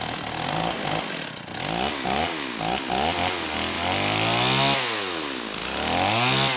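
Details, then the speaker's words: STIHL 028 AV Super chainsaw, rebuilt with non-OEM parts after straight-gas burnout, low-speed jet about 1⅛ turns out: revs hunt up and down, stumbling and stalling coming off idle, worse after 5–10 s idling; carb or seal issue suspected, unconfirmed. "the biggest issue is coming off a idle you know it stumbles quite a bit and stalls especially if you let it idle for five or 10 seconds and then you try to bring it off"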